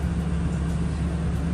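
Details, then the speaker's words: 2012 Toyota Tundra idling just after new ignition coils and spark plugs were installed; low, even rumble with no skips or stumbles, not misfiring; check-engine light still on until cleared. "Cause it's not misfiring or nothing."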